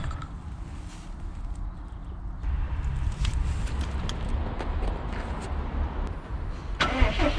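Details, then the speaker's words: 2015 Subaru WRX STI boxer with apparently forged pistons, after intercooler, downpipe, blow-off, oil cooler and radiator upgrades and tune: cranks and fires, then light quick rhythmic clicking over idle, attributed to piston slap from large piston-to-wall clearance. "Do you hear that? Click, click, click, click, click. So it seems as if the car got quite decent forged pistons. So you hear the piston clap quite well."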